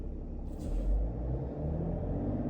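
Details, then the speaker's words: 2010 BMW E91 335d diesel at idle right after a full service with oil, air, fuel and cabin filter changes, run at idle to bleed the fuel system: steady low rumble settling evenly, no knocks or hunting; normal idle. "It's now telling me to start the car and run it at idle speed. Which we are now doing."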